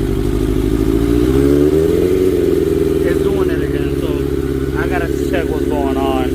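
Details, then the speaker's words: 1992 Suzuki Katana 750F at idle: revs climb briefly then settle as the handlebars turn, throttle cable pulled by steering after rerouting; further rerouting then stopped the acceleration. "Okay, so it's still accelerating when turning. So, I'm going to reroute the cable again."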